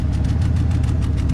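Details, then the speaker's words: Truck with a 5.4-liter engine: low, lumpy idle with an occasional uneven thump in the exhaust beat; a slight miss. "And he worked on it he figured, you can hear there's a little bit of a miss in it."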